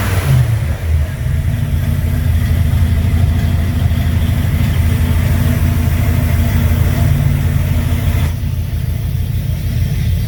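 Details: 1958 GMC 4x4 first fire-up, idling without throttle, fuel visible through filter: low lumpy idle with uneven beat and surging revs; rough running, owner suspects gunk in the carburetor needing cleaning.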